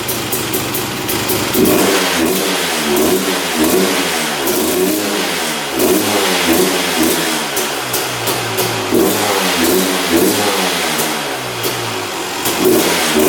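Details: 2001 Honda CR250 two-stroke, just started after not running: crisp ringing rapid blips with no knocks or rattles, engine sounds good mechanically, but smoking heavily and slow on throttle; owner suspects rich mixture or excess oil.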